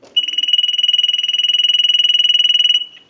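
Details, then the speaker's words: Ericofon North Electric Galion telephone after repair, final checkout rung by analyzer ring cycle: high bell trills fast and even about 2.5 seconds then stops cleanly; ringer working properly. "So we want to go ahead and start our final checkout, and we're going to ring the unit with our analyzer. So we'll start a ring cycle."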